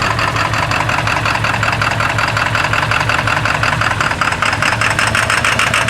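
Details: 1997 Ford F-250 XL 7.3L PowerStroke turbo diesel, cold start at 65 degrees: fast uneven clatter over a lumpy idle that never settles; running rough from bad injectors.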